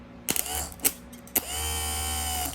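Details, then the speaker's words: Tilt and trim motor on a 150HP Mercury Black Max XR4 of a 1989 Astroglass bass boat, after repair of seizure from water intrusion and rust: a few clicks, then a smooth, even electric whirr. The motor spins freely in both directions. "And it's spinning good. So we should be back in business."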